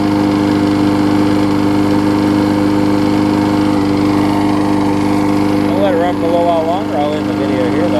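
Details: Husqvarna mower with aluminum deck and a transplanted engine, after a new gas tank, a replacement carb and a tune-up, started after priming. It holds a steady, even drone at constant pitch with no misses, surging or hunting, running smoothly.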